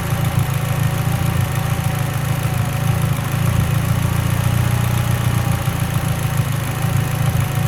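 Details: Mitsubishi Lancer Evo X idling: deep uneven loping idle with occasional stumbles; lean idle misfire suspected, not confirmed.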